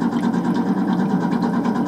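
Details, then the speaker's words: HVAC furnace blower motor, model 383KAV048111, customer complaint of burning smell: low uneven droning hum that pulses and labors instead of spinning up clean; bad blower motor, probably needs a capacitor. "the blower motors just chugging along. So we got a bad blower motor."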